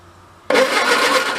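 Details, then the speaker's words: 1953 MG TD barn find parked since 1979, being recommissioned: starter spins the engine at a steady cranking pace but it never fires; power reaches the coil but no spark at the plug wire; owner suspects bad points. "see it I can't see it no spark yeah no spark"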